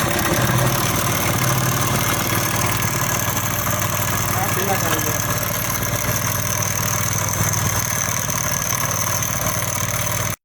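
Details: Small 70cc motorcycle engine idling with loose metallic clatter: timing chain rattle from a weak tensioner.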